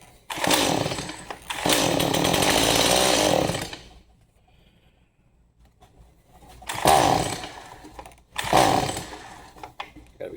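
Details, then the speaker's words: Stihl MS 180C chainsaw that wouldn't start, with starting fluid, half choke: catches and revs hard for a couple of seconds, then quits with short bursts; starts briefly then dies, gummed-up carburetor likely. "It wants it. All right, so it will start on starting fluid. Um more than likely it's a gummed up carburetor."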